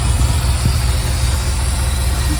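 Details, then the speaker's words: Ford F-100 at idle with a steady airy hiss from one specific hose or fitting of unknown connection. Covering it makes the sound better and the engine run better: a vacuum leak. "can hear it coming from right here. When I put this over it, sounds better and the engine runs better."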